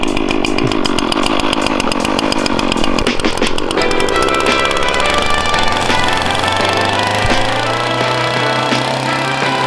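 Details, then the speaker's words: Warmed-up string trimmer: after starting it holds a loud, steady high-pitched whine, revving freely with too little line out; bump the head to feed more string. "And two, you can really hear it. It's whining really loud. Yeah. You go to like that rock, bump it, and you'll shoot some more string out."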